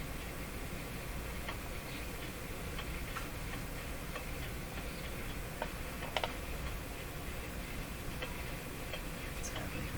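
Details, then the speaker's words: Jewel Model 505 mid-century vacuum tube clock-radio, series-string tubes glowing, line voltage near 100, tuned around 590, volume full: faint irregular clicks and an occasional ding over steady hiss from weak reception; something interfering, possibly band-related, source unconfirmed. "something is something is interfering with something if you're a little click in a ding I think it has something to do with this band"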